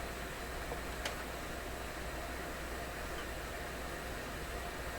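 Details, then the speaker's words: McIntosh MR-71 FM tube receiver, brought out of storage not working, powered up cautiously: only a steady even hiss with no station or tone; guessed dead tube in the tuner front end, antenna screw makes no difference. "Okay, my wild guess is the front end of this radio is dead. It's got a dead tube in the front end."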